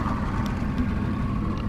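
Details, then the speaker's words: 1999 Johnson 200 HP outboard (J200PLEEB) restarted on the water after a couple of miles' run without alarm following fuel-flow vacuum switch replacement; it runs through its system checks and starts easily, then holds a steady, even idle with no alarm. "this is easily long enough for it to throw an alarm we're going to crank it up goes through his checks cranks right up"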